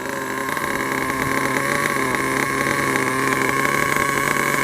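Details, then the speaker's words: Losi 8 1/8-scale nitro buggy, .21 engine, break-in run after two tanks of idle, warming about 30 seconds at low throttle: a high buzzy even drone climbing slightly, with no misses or stumbles; healthy. "the car heat up for about 30 seconds, and then you can start going. Now you don't want to go faster than that on a braking."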